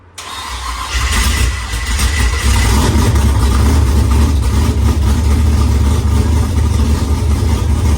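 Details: Firebird with a newly installed engine at its first start after priming: cranks and catches, then a loud, uneven, lumpy rumble with ragged pops; the V8 runs rough and is backfiring a lot.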